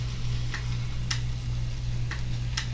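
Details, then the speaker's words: Model railroad reverse loop: AR1 auto-reverser relay clicks every half second or so over a low hum when it should sit still; sensitivity likely needs adjusting, not confirmed. "huh i think there's something wrong with the 8r1 because it's clicking too many times you shouldn't be clicking right now"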